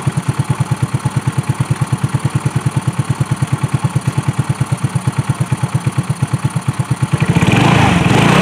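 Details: 2018 Trailmaster 150 XRX warming up after a new carburetor fixed its no-run problem: even low putter of about three beats a second, steady and settled, then a smooth throttle blip. Normal, healthy idle.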